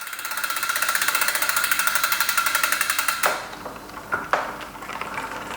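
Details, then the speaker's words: SRAM AXS bicycle drivetrain, chain freshly waxed, on the workstand during post-ride tuning: fast, even ticking about four times a second while pedalling that stops when the cranks halt. A rub is suspected but not seen; owner thinks it is the chain crossing over. "Definitely sounds like something rubbing there, but I can't see what because I'm getting daylight."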